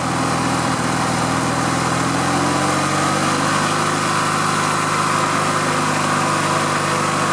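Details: Riding lawn mower twin after fuel and electrical repairs, started with choke on and a slightly weak battery: steady, even drone with a slight pitch rise as it settles, no misses or knocks; running smoothly.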